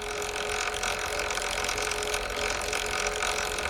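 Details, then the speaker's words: Sur Ron electric bike belt drive spinning on a stand after deodorant worked into the belt to cure squeal: super quiet, soft motor hum and no squeak; if squeak persisted the belt may be too tight. "super quiet so already sounds a lot better"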